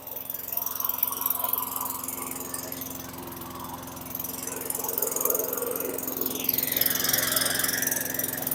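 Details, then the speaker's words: 2003 Craftsman mower (model 917.387360), Tecumseh 4.5 hp 148cc engine, after installing the correct carburetor: quiet, low, steady putter about three beats a second, no stumbling; idling cleanly but a bit slow, RPM to be raised. "okay that sounds a lot better I wanna tweak the RPMs they're a little slow or low however you want to say it"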